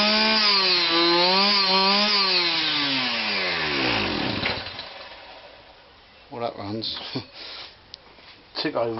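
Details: Kawasaki KBH43A two-stroke strimmer that wouldn't start and ran only on choke, after repair: buzzy note rises and falls with the throttle, then winds down smoothly, running cleanly with no misfire or hunting; normal running.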